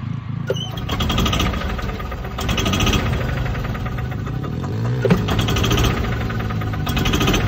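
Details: Club Car gas golf cart engine revs rising and falling in slow waves every few seconds; carb cleaned, new plug, fuel system replaced and checked, runs fine sometimes, owner wonders about rev limiter; surging, cause unclear, ongoing over a year.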